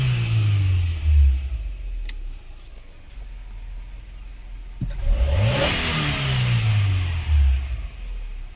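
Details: Toyota Camry 4-cylinder after fixing a sticking part and reassembly: catches on first crank, revs up, drops, rises and settles with no stumble or misfire; normal start and idle.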